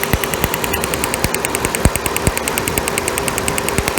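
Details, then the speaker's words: 1998 Chevy Cavalier running rough, stalling, low power, check engine light on, long unused: sharp crackling snaps over idle from a lifted plug wire, nice blue hot spark on cylinder 3; healthy ignition spark. "Nice blue hot spark. That's how it sounds."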